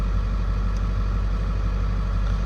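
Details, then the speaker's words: 7.3 Powerstroke diesel, sat about 4 years, just started: low, steady diesel rumble at idle, even, no misses or knocking, great oil pressure; healthy idle. "y'all fired right over two B been sitting for about 4 years and she's making great oil pressure"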